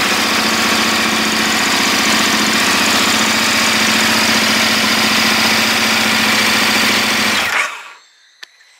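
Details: KTM 1290 Adventure big twin started cold: loud, busy metallic chatter over a steady idle, then clean shutoff; normal cold mechanical noise for this engine, nothing abnormal.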